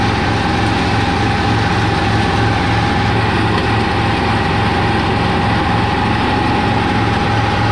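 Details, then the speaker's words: 1985 Kubota T1600 diesel garden tractor, 290 hours, tested after hydraulic transaxle repair: loud, steady idle with a firm, even low beat, no knocks or misses; engine runs flawlessly, normal idle. "well all right guys this uh this thing seems to be working pretty good I mean the engine on this thing just I mean it runs flawlessly I I love this engine"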